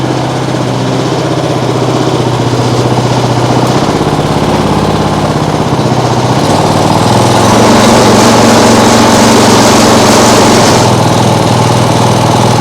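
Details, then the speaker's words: Small single-cylinder lawnmower engine rigged as an outboard, flywheel possibly too small: runs, then surges and sags unevenly, falling on its face and shaking a lot; owner fears a bent crank, cause unclear. "Why does it fall on its face? Strange. And it also shakes a lot, which is Do we have a bent crank?"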